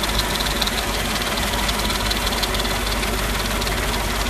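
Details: Mercedes-Benz G55 AMG naturally aspirated V8 at idle, light fast uneven ticking from the engine bay; continues with the serpentine belt removed, so belt-driven parts and water pump ruled out; source not found.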